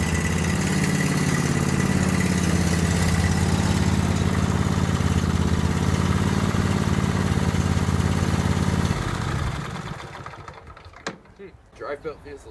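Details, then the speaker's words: Garage-find Cub Cadet 1190 lawn tractor, starter owner suspects is weak: steady, even idle thrum with no misses or knocks for about nine seconds, then a clean shutdown; healthy. "okay so it started up fine uh runs good too I mean I can't complain that much about it starters seem to be doing better this morning too"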